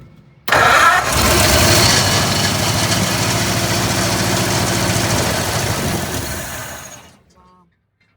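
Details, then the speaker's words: Junkyard 1948 Ford truck, sitting for decades, carburetor leaking fuel: fires straight up, runs at a rough loud idle about six seconds, then dies. Owner suspects it's no longer pulling fuel from the float bowl, possibly debris in the bowl. "I'm not sure it's pulling from the bowl anymore. Cuz it should have ran longer than that."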